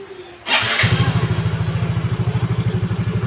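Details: Yamaha Mio J injected scooter that hesitated under throttle even after injector cleaning, now after replacing the hardened MAP sensor (fault code 14): short starter whirr, then the single catches at once and settles into an even putter of about three beats per second.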